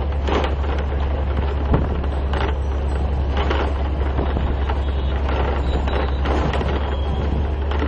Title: AMTS City Bus Rattle on Horrible Ahmedabad Roads UNICEF 01072015005